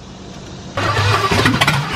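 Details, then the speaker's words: Cadillac convertible with a 350 engine being revived after box work, fuel tank just hooked up; starter churns and engine coughs unevenly for a second but never runs; owner suspects flooding and a draining battery, which is then recharged. "okay all right i probably floated it and batteries draining so we're gonna charge the battery for a little bit and give it a second try"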